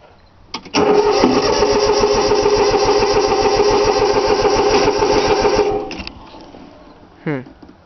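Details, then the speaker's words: 3-cylinder Yanmar diesel cold start with extra glow plug time, steady rapid cranking at about 3.5 beats a second for five seconds, never catching; owner forgot to bleed the fuel lines, it usually starts right up. "Alright, guess a little bit more glow plug. She ain't wanting to start."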